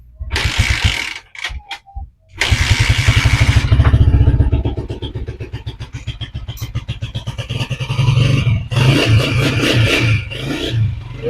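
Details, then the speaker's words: Honda TMX155 motorcycle after a tune-up, carburetor not accessible for adjustment: a few cranks, then it catches and settles into an even single-cylinder putter with a short rev. The engine sounds quiet, fresh and healthy. "tahimik na yung kanyang makina Sariwa pa yung tunog. Ganda pa yung tunog niya mga idol."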